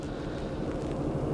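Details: 2004 Acura TL 3.2-litre V6, flashing check engine light, code P0300, cylinder 4 misfire count around 356–360; idle stumbles with uneven, irregular puffs; misfire later traced to bad ignition coil by swapping coils.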